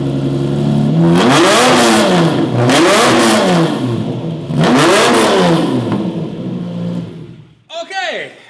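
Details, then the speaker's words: Lamborghini Murcielago with straight-pipe exhaust, unmerged banks: three rev blips rise and fall in a raspy, blatty drone without the high scream; owner dislikes it and plans to remove the exhaust. "Yeah, that does not sound good at all. And I don't want to have a Lamborghini sounding like that."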